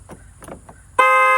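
After some quiet handling noise, one loud steady horn blast lasts about half a second: the alarm going off. Cause suspected, not confirmed.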